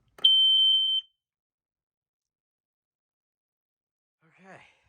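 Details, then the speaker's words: Montgomery Ward smoke alarm, BRK-made version of a 79R, test button: one shrill, steady high tone under a second, then quiet; sounds just like a 79R, normal test. "looks just like the cover actually looks like a 7R except it does have the ward the Montgomery Ward style vents in the top and it sounds just like a 79r as to be expected"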